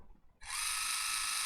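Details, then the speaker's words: Water flosser on repair bench, motor powered through a jumper wire bypassing the faulty protection board: silent, then a steady, even high-pitched buzz with no stutter or rattle; motor and main board work, protection board to be replaced. "let's try to increase this bit so it is working so there's nothing wrong with this board it's actually this protection board only"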